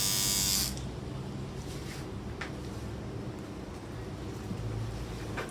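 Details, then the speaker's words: Battery hair trimmer (edger), quiet when new but loud after use: harsh, loud buzz settling to a duller hum, caused by a loose, wobbling blade head held by two screws. "ตัวนี้ปกติตอนซื้อมาแรกๆเนี่ยเสียงจะเบามากแต่ปรากฏว่าใช้ไปแล้วเสียง"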